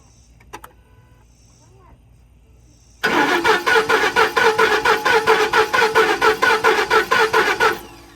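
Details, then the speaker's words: 2010 Ford F-150, 330k miles, suspected jumped timing with three crank/cam position codes, VCT valve cleaned, air box off: about five seconds of steady, even cranking that never catches; cranks but won't start, fuel pressure present. "Nope, not starting yet."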